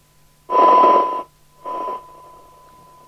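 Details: 1981 Binatone Breakerphone CB27/81 UK FM CB radio repaired for a broken PTT switch: two clean bursts of receiver hiss with a steady tone, then quiet squelched background; receiving normally.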